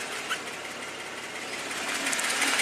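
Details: 2015 Jeep Wrangler, Pentastar V6 replaced with brand-new Jasper reman engine, under 140k miles: quick light ticking over smooth idle with top-end clatter; tick source not pinned down.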